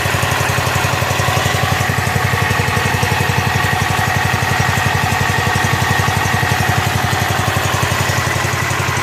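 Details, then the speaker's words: Rebuilt Kohler K241 10 hp single-cylinder from a John Deere 210 garden tractor, muffler hung on with wire, fed by tube in gas can: steady, even quick thump, no misses or knocks; normal idle before idle mixture screw adjustment. "I hung the muffler on with a piece of wire so I could run it without being so obnoxious ly noisy"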